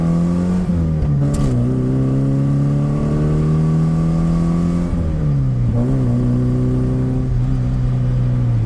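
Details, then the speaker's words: 1984 Dodge Omni GLH on a road test after fuel-system fixes. Under hard acceleration the engine climbs cleanly to high revs and back with no pinging; the lean knock heard previously is gone. "I did not hear the uh the lean knock that I've been hearing in the past when I get on it."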